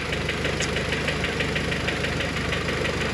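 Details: Engine with H22 spring-type lost motion actuators replaced on the cylinder head, cold idle: quick light ticking about three per second from the cylinder head, slightly toned down after new LMAs and fading as it warms; cause unconfirmed.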